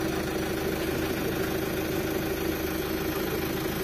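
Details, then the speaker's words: 2008 Chevrolet Captiva diesel, 5-speed automatic, all-wheel drive, after supply pump timing gear cleaned and repair finished: even idle with steady low clatter, no misses or knocks, runs smooth and clean. "Oke, sudah berjalan. Bagus, teman-teman. Mulus."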